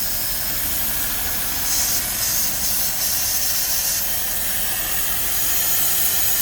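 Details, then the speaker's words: Suzuki Swift first start after injector seal replacement and priming: uneven, lumpy idle under a loud continuous hiss; rough idle with hissing, traced to a badly leaking number two injector. "we have a really badly leaking injector and that one oh god yeah that that's right yeah that's running badly"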